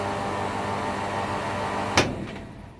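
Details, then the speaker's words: Pool pump that would not start, with the capacitor reconnected: steady, even motor hum with a clean mains buzz, then a click and fade; pump starts and runs normally on its own. "voilà c'est à dire que ces bons qui le condensateur est bien branché la pompe fonctionne"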